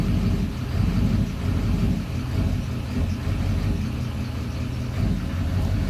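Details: 2009 Duramax diesel idling in drive: low idle with an uneven, lumpy pulse and swelling loudness. Rough idle only in drive, smooths out in park; cause not yet found.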